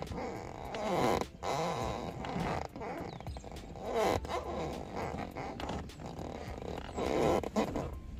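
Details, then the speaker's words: Creaking, farting squeaks in bursts as weight shifts on a leather car passenger seat, from the foam under tight leather rubbing on the seat frame bars along the sides; fix is greasing/lubricating there. "But along the sides where you couldn't see, the material would have been rubbing off these bars that are up in there. And that's where you get most of your squeaking or your farting sounds."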